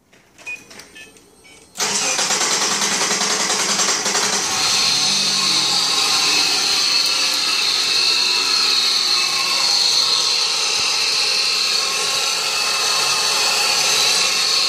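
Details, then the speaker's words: Subaru EZ30 engine idling: steady high buzzing whirr over the idle from a worn alternator bearing, before bearing replacement with a Koyo part. "На стартёре подшипник зашумел. Двигатель из30 Subarнка. Сейчас покажу, как шумит."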